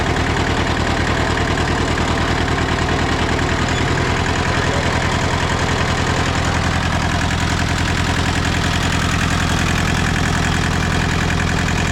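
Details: Hinomoto (Southern) diesel tractor running after 2–3 years unstarted, radiator still needing replacement: steady low diesel clatter with an even firing beat and no knocks or misses, idling cleanly.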